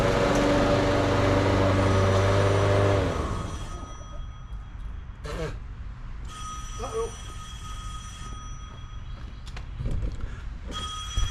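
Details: Toro 22-inch Recycler mower with Briggs & Stratton 6.75 Quantum auto-choke engine, stored 10 years, after carburetor cleaning, new air filter and oil: runs at a steady, even pace with no misses or surging, then shuts off cleanly; normal running.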